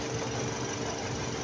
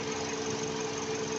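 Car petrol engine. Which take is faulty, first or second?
first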